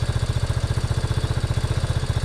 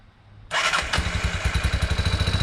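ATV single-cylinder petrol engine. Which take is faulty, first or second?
second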